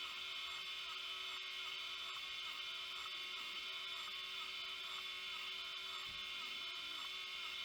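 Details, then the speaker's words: Opened failed vintage hard drive with a damaged platter and degraded gooey material, head moved off the damaged area: soft chirping seeks repeat about three times a second without settling. The owner suspects a damaged head that cannot read and keeps retrying; not confirmed. "is unable to read and that's what the drive is trying to do is trying to read something he trying to get something back from the hits like the other hard drive it doesn't get anything and it keeps trying keeps trying keeps trying"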